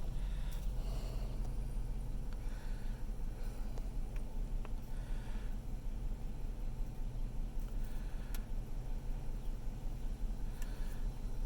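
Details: 2006 Hemi V8 recorded inside the cabin at idle, revving to about 2000 rpm and in drive: deep idle with a slightly uneven, lumpy pulse; rough idle.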